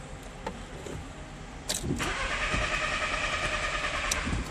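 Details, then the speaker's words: 2000 VW Beetle 1.8 cranking with spark confirmed but never firing; fuel pump circuit test bulb stays dark with zero voltage, traced to blown fuse wrongly sized at 15 A instead of 10 A. Crank no start, no fuel pump power. "obviously no light zero voltage"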